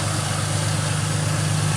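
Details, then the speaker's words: 2005 Ford Mustang with rebuilt, retimed donor engine, first start after car sat about 12 years: deep steady idle with even low pulse, no miss, tick or knock; running smoothly. "That is really nice. I'm gonna let her just idle. Let her idle for a little bit before I mess with it."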